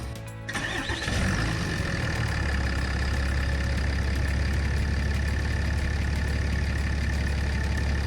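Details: Dodge Ram 2500 6.7 Cummins diesel (EGR deleted) just after water pump and coolant replacement: starter cranks briefly, engine catches and settles into a steady, even idle with no knocks or belt squeals; normal start and idle.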